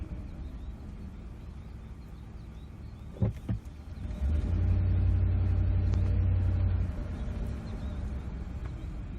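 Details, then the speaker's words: 2008 Ford F-150 5.4L 3V Triton, road test under light acceleration with the VCT solenoid electrically disconnected as a temporary fix for stalling at stops: steady low rumble swelling evenly with no stumble or cutout; stalling concern gone. "sure enough the concern is totally gone this can get you by this can get you home"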